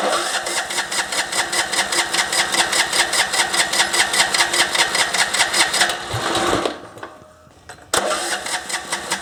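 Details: MTD ride-on mower single-cylinder, deck removed: rattles unevenly about two and a half beats a second, sagging and nearly dying before picking up; surging, owner suspects lean mixture, tested by covering intake.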